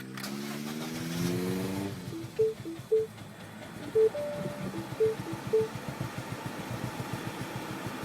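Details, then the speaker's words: 2007 Mini Cooper S R56 with JCW Stage 1 kit, just over 60,000 miles, cold start after sitting overnight: catches then runs lumpy, uneven, struggling to rev, seemingly on two cylinders; owner suspects high-pressure fuel pump, plans spark plug change. "It just can't get up to speed. Not sure if you can actually see how much that engine's jumping around, but it's quite a bit. Yeah. So it sounds like it's only hitting on 2 cylinders."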